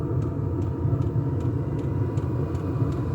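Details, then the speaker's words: Diesel air heater at initial startup, exhaust piped outside, heating a house in autumn: steady even combustion roar with soft regular fuel-pump ticks about twice a second, ticking over nicely; normal running. "Yeah, that's ticking over nicely. Oh yeah, that's beautiful."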